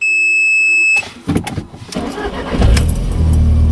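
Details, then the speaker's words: Mk1 Audi TT first start of the morning: a chime, then a short crank that catches only on a second attempt and settles into a run; the fuel pump is heard working but the owner suspects it is not pumping efficiently. "i haven't started this morning this is the first attempt and this is what happens we did hear the pump working but i think the pump's not working efficiently"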